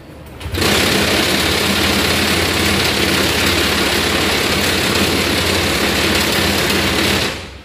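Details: Honda Vario 150 keyless with total electrical failure fixed by cleaning and tightening corroded ignition-switch connector: scooter fires up quickly, holds smooth steady idle, then shuts off cleanly.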